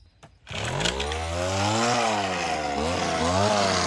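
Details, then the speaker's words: Homelite HT17 gas hedge trimmer after repair, two-stroke buzzes up quickly and holds a strong, even high note with slight rises and dips; runs good, blades need sharpening. "A little bit of a hack job, but I think the blades need to be sharpened. Other than that, runs good."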